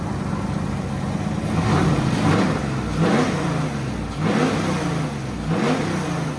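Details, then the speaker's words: Drift car after tightening three loose spark plugs, solid-mounted engine: several sharp rev blips climbing and falling cleanly back to idle without stutter, more crisp; no misfire, shaking from the solid mounts. Oil pressure seems high. "yeah it's more crisp now I don't know it's called solid mounted looks like it's shaking a bit but it sounds smooth"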